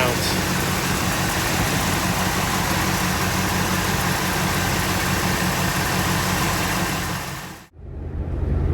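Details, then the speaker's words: Freshly rebuilt Buick 401 Nailhead V8 (1964, second rebuild) first start after oil priming, distributor set at number one TDC, fuel primed with electric pump: fires easily into a smooth, even low burble idle, no ticks or knocks. "I'm going to prime the engine with my electric fuel pump, and then I should be able to start it. Not expect it to fire up that easy."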